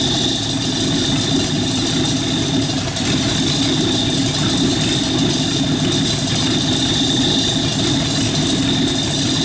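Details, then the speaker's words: Rat rod truck idling with a York AC compressor converted to a belt-driven air pump for an air-bag suspension, filling a tank, pressure switch set near 100 psi with cut-in around 80–90; steady idle under constant airy hiss and pump chatter, normal operation. "so I'm crank it up and just let it idle to show you how fast this builds up pressure idle"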